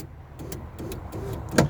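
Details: A string of repeated clicks and pops over the motor whir while the glass stays put and the cable keeps moving; the power window regulator cam is slipping through its guide.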